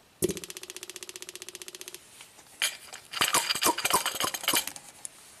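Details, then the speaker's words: 2010 Toyota Corolla, 102,000 miles, codes P0441/P0455, purge valve commanded by scan tool: fast even clicking, three to four a second, then stops; aftermarket and original Toyota purge valves both work, purge valve not the issue. "Okay, so they both seem to work, so it seems like our purge valve is not the issue."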